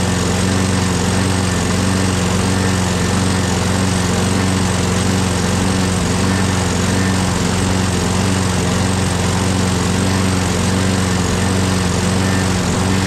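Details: Craftsman 6.5HP Briggs Quantum FWD mower after magneto replacement and carb clean, primed and electric-started: steady, even single-cylinder drone at constant speed, no misses or surging. Owner notes an unexplained clanking and priming needed each start.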